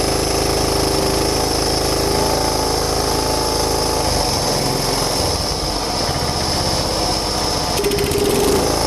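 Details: John Deere Hydro 175 lawn tractor single-cylinder engine, after replacing the wrong, soaking-wet BR8ES spark plug with the correct BR5ES, runs steady and even at a fast idle with no misfire or stumble; runs properly now.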